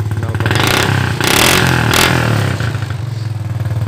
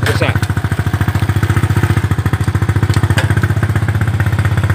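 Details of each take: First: Mocin/Supra motorcycle just after fixing the faulty spool that gave no spark: uneven revving with sharp crackling exhaust pops on the throttle swells. The carburetor still needs adjusting. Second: Honda Supra/Mocin-type single-cylinder motorcycle after fixing the faulty ignition coil (spool), which gave no spark: starts on the first kick or starter press and idles steadily and evenly, running cleanly. A few faint exhaust pops remain, carburetor still needs tuning.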